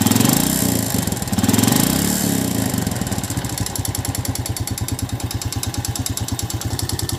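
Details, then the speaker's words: Yamaha New Jupiter Z before repair: uneven, lumpy, very rough idle with a fast rattly clatter over the exhaust beat; teardown showed a slack cam chain, being replaced, and a worn piston is suspected. "Seperti yang udah kita dengarkan, bahwa suara mesin motor ini sangat kasar sekali. Maka saya lakukan pembongkaran pada mesin motor ini, dan menurut analisa saya, bunyi seperti itu biasanya adalah bunyi piston yang udah aus. Dan kelihatan rantai ketengnya juga udah kendor, maka sekalian kita ganti."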